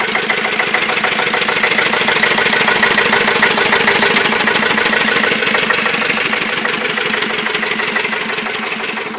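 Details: Listeroid Metro 6/1 single-cylinder slow-speed diesel electric-start 4500 W genset running at 740 rpm: slow, even, regular thump-thump; normal healthy running.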